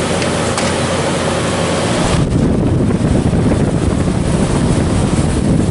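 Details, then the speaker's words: 1993 Comfort-Aire window heat pump, reciprocating compressor with metal fan on slow, cool mode, 81°F day: soft, even fan whoosh over a low steady compressor hum, no knocks or rattles; running smoothly. "Feels great. Purrs along. Really nice. Slow fan."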